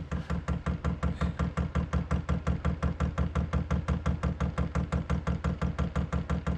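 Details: Newly installed Chinese diesel heater on 12-volt wiring, first start-up: even rhythmic pulsing about three times a second over a low hum as it lights and blows hot air. Normal start-up.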